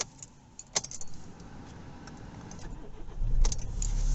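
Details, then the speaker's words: Kia Ceed/i30 CRDi diesel with over 190,000 miles, restarted warm about two minutes after a fuel filter replacement: keys rattle, the starter catches quickly after the glow plug light goes off, then a steady low rumble. Normal start after earlier slow starting. "so there the glow plug light went off clutch down started as normal pretty much I would say"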